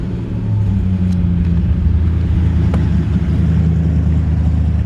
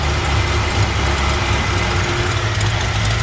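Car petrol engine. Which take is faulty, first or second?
second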